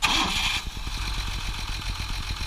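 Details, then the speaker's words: 1958 Mercedes-Benz 220S with dual carburetors and manual choke, fuel pump bypassed: brief starter whirr, catches right away and settles into smooth, even firing with no knock, miss or odd noise; normal engine start. "you know usually fires up right away it's got a manual choke on it like I showed you on the on the dash but you know it's very smooth it's running dual carburators no noises or anything like that you know no knock or anything like that or nothing weird"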